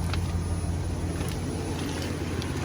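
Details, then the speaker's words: 2001 Chevy Express van, 4.3 V6 petrol, after replacing the spider fuel injector, ignition coil and distributor, idling about 30 minutes on premium fuel: low, steady even hum with no sputter, shakes or misfire; normal smooth idle, no check engine light. "ain't sputtering no more. Man, that thing is running. Turning like a kid now. No shakes, no nothing. Oh my goodness, it's running, sounding good."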